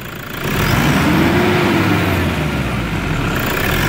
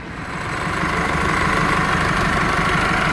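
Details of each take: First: Toyota Hilux 3.0 diesel after turbocharger replacement, intercooler and air filter housing cleaned: revs up smoothly and holds an even rumble, the previous loud turbo noise no longer heard; normal turbo operation after repair. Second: Chevrolet S10 after A/C compressor bracket installation: faint steady high whine over the idle hum; mechanic suspects the alternator bearing and plans to advise an auto-electric check; alternator noise.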